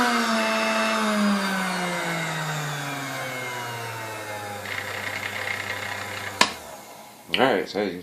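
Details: Serviced Sunbeam Mixmaster 12C, contacts cleaned of corrosion, general maintenance only, old bent beaters fitted: smooth, even motor whine, then steady coast-down with no grinding or rattle; normal running.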